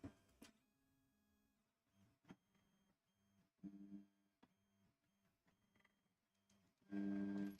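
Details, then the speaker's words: Old TEVO Tarantula Pro 3D printer homing and running bed probe test: short stop-start stepper moves with loose tinny rattles between them; rattling noise during bed probing, worn rickety frame or gantry likely loose. "let's see what kind of uh variance we get on this old school printer with this very rickety kind of noise it's making"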